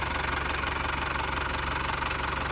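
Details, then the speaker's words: Volvo Penta TMD22 / Perkins Prima marine diesel on a sailboat, running after a timing belt, water pump, pulley and crankshaft seal replacement, coupling bushings and a coolant change. Steady, even clatter with no misses or extra knocks sounds healthy. "I feel really nervous about the engine. It's been taken apart and put back together. So it's just good to listen to it and make sure it sounds okay."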